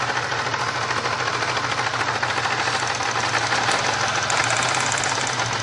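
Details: 1999 Grand Prix SC 3.8 running rough with a steady stumble about three times a second: engine misfire caused by a bad ignition coil (#1-4).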